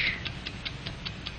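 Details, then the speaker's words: 1949 Hamilton Watch Co. film: an accurate mechanical watch ticking five times each second. Crisp, even ticks over a faint hiss, a steady beat with no skips. Normal watch ticking. "an accurate watch ticks five times each second like the engines of airplane and motor car like the generator like the human heart"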